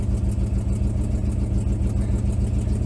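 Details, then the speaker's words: Vintage C30 RV V8 at idle: low rumble with a fast, puffy ticking pulse at each firing. An exhaust leak was suspected at the donut gasket at the collector, below the driver; the exhaust was later found rotted in half. "sadly enough the exhaust leak isn't as bad as it was but it still has an exhaust leak and we're thinking that it's probably like the donut gasket like at The Collector where it goes into the pipe because it sounds like it's like right below me"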